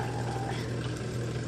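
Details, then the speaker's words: Samsung Silver Care washer with ND no-drain code, after impeller spun by hand: short burst of low steady electric hum with water noise as drain pump runs and drains; pump later found bad and replaced. "so far you can hear it you can hear it draining it's draining"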